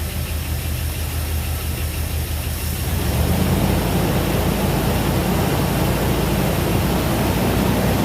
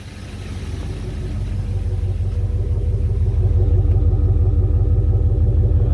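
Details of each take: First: Jeep engine just reinstalled with new connecting rod bearings, freshly fired up cold, good oil pressure: fast cold idle, still a little rattly, light ticking from both sides; slight tappet noise, needs to warm up, otherwise sounds healthy. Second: Jeep engine with new connecting rod bearings after reinstall, good oil pressure, slight tappet noise both sides noted: even, steady low idle, about three firings a second, no knocks; owner says it sounds healthy; normal idle.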